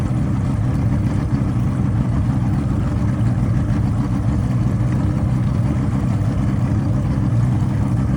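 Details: Engine running after it stalled: steady low throaty rumble with a slightly choppy, uneven beat; motor misfire.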